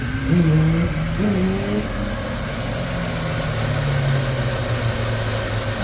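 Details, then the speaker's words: 1990 Chrysler New Yorker, first crank after repairing the fuel rail by brazing and refitting the injectors, fuel pressure now just above 30 instead of zero. Fires right up and holds a steady, low, even idle without stumbling. Normal idle. "we're going to crank it for the first time and see what happens here all right moment of truth fired right up"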